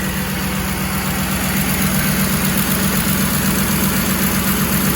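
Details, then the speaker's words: Ford Expedition 4.6/5.4 3V Triton after replacing bank 1 (passenger side) VCT solenoid for P0012: even idle, steady pulse about 2.5 beats per second, earlier loud clicking gone; healthy and smooth. "Just going to start up the car. How does that sound? No more clicking noise. Full startup. That's gone."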